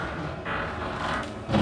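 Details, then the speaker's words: 2020 Stratus 231VRB RV slide-out motor, button held down: steady motor drone turning louder and strained as the slide reaches its stop, the noise telling you it's fully out; normal end-of-travel. "You'll hear that noise, that you know it's all the way out. So you do need to keep your finger down on the button the whole time until it's all the way in or all the way out."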